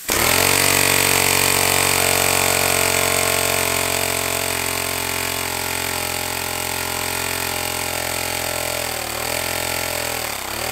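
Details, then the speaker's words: Homemade compressed-air engine at 50 psi with a small lever-operated diaphragm-valve throttle: rapid even chuffing with a bright hiss on top, the beat slowing and dipping as the throttle is eased; normal smooth running. "I'm almost more excited about this throttle that was with a dude it just sounds so good"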